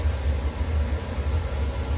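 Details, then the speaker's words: Newly installed combi gas boiler at maximum flame (three lines on display) on hot water demand: steady deep burner roar with even fan hum, no knocks or whistles; normal running at full flame. "I guess that's now maximum flame because we've got 3 lines."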